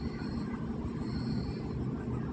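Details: Hyundai i20 2012 petrol (scanner shows 2016 1.2) misfiring at idle with check engine light and jerking; low, uneven rumble with irregular dips; scanner shows misfire on all four cylinders plus cam timing fault; shorted spark plugs suspected.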